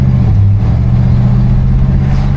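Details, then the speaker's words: 1975 Buick LeSabre convertible project car V8 on a test drive at about 75% throttle, just reaching 40 to 50 mph. Deep, even pull with no knocks, clanks or ticks: motor solid, normal acceleration. "So definitely a cruiser vehicle, but the motor is solid. I'm not hearing any sounds, no clanks or anything."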